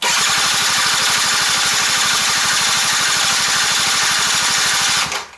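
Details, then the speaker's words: Quantum RS cranking on the starter for about five seconds without firing; no fuel flowing. Suspected causes: a faulty fuel tap, a damaged hose or one-way check valve, or the throttle open to maximum. Not yet confirmed. "dobra można przypuszczać że jest uszkodzony kranik ale może być tak że mamy uszkodzony przewód w zawór zwrotny zawór kulkowy ten jednokierunkowy przekaźnikiem albo może być otwarta przepustnica na maksa"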